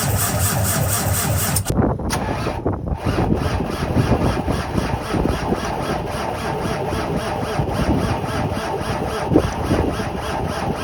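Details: Cummins ISX15 diesel, cold start: long even cranking churn with steady pulse that never catches; crank no-start.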